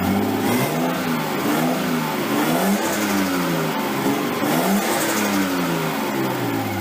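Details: Nissan 240SX S13 with swapped RB20DET, first start after over a year sitting, once crank angle sensor power was restored: fast idle that repeatedly swells and drops with throttle blips, running smoothly. Idle is way too high and AFR unset; possibly burning a little oil.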